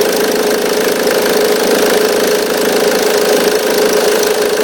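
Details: 2005 Ford Mondeo Mk3 2.0 TDCi 130 hp (96 kW) diesel at idle: constant light metallic rattle and buzz with vibration, typical of a worn auxiliary belt tensioner.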